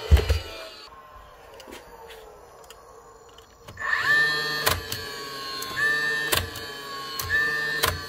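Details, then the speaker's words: Dewalt DCN660 second-fix angled cordless nail gun from 2021, test fire: motor starts in bump mode, so not the switch, spinning up to a steady whine, then only sharp clicks about every second with no shot; motor runs but does not fire. "This one, she's actually starting the motor on bump mode, so it's not the switch, but she has clicking if we go"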